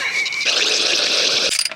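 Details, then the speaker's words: 1970 crane truck engine, sat ten years not running, with vacuum advance just adjusted. Harsh high-pitched whirring and rattling grind over the running engine, then cuts off; abnormal mechanical noise, cause unclear. "this warp engine got some problems sound like"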